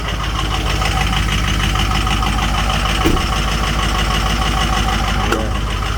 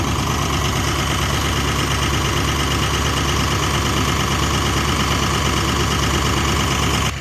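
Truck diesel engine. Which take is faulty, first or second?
first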